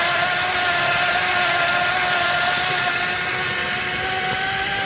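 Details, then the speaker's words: Beach cruiser with a 125W battery-powered friction drive on a test ride: loud, steady high whine with several tones and a lot of chain noise, easing as speed drops; the wheel also seems to slip under throttle. "As you can tell, it's really loud, so as you're riding around, it does make a lot of chain noise."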